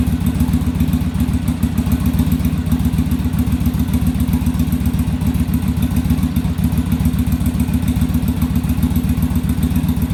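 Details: Yamaha Virago V-twin during on-engine carb sync, after raising idle screw and adjusting rear carb idle stop; steady even low thumping settled idle, no stumble or hunting; carbs now balanced, normal idle.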